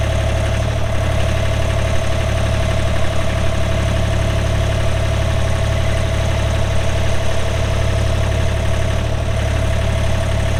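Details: 2007 Ditch Witch RT40 trencher, 42 HP Deutz diesel (pre-emissions), 1,530 hours, idling: steady, even diesel idle with a deep low rumble, no knocks or misses; engine running healthy.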